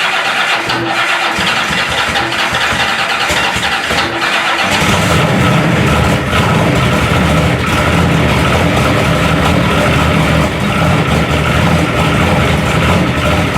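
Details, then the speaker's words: Turbo Oldsmobile DX small block, after installation in the car: it cranks, then catches into a loud, lumpy, rowdy idle with a loose clatter underneath. Piston slap, as every piston has excessive clearance. "every piston in this thing's got 10,000 splits. Yeah. I mean, it's loose as a goose."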